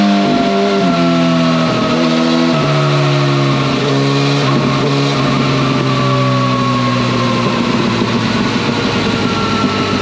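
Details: 2011 Yamaha FZ8 on the dyno with a Yoshimura exhaust, after stator and flywheel magnet repair, a sprint filter and small fuel tweaks to an earlier tune: smooth, quiet exhaust note climbing steadily through the revs, no knocks, misfires or rattles; normal running under load.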